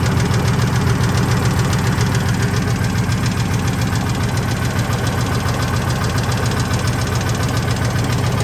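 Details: Ford F250 V10 after installing headers and injectors: steady low idle with a regular light tick about three or four per second; owner suspects lash adjuster, lifter or rocker arm, though ticking is quieter than before.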